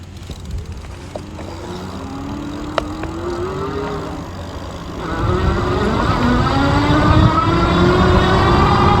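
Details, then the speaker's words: Ariel Rider X-Class e-bike hub motor after regreasing its gears, ridden at about 15 mph with the microphone close to the motor. Faint smooth tone climbs evenly with speed over road noise, no grinding; quieter on takeoff than before. "I can definitely tell a pretty big difference on takeoff. Definitely feels a lot quieter. Cruising like 15 miles an hour and everything feels really smooth. No motor noise or anything"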